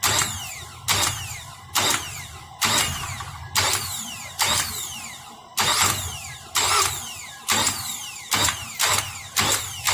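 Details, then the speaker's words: 2004 Nissan Altima 2.5L with warrantied replacement starter, after sitting about 20 hours: repeated harsh metallic scraping about once a second instead of cranking, plunger not pushing the pinion fully into the flexplate ring gear. "So you'll just hear the starter attempting to engage and contact the flywheel, but it's not."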